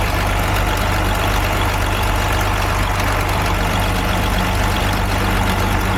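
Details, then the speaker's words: DAF MX-13 530, model year 2017, cab tilted, revs locked at 1000 rpm, customer complains of ticking: light rhythmic clicking over the diesel drone; worn camshaft and followers. "More of a clicking sound if you ask me, but we'll get the rocker cover off, have a look at the camshaft as well."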